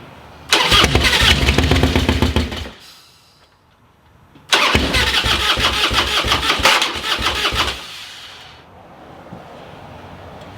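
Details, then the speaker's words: Rebuilt burnt Harley bagger, first crank attempts after fuel added; two rough, lumpy cranking churns that cut off abruptly without catching, sounding weak as if no pressure at all; engine kicking back while cranking. "sounds weak though don't it it didn't sound good at all no like that sounds like it's like no pressure at all"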